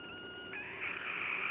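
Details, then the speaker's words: Pressure cooker reheated with a temperature sensor fitted through the lid: thin high hiss with faint whistle growing stronger as excess trapped steam leaks past the improvised seal around the sensor; temperature climbing past 98 to 102 °C. "Tá escutando esse barulhinho? Esse barulhinho é o excesso de vapor que está preso lá dentro começando a vazar. Ele está vazando aqui por onde eu fiz a vedação, né?"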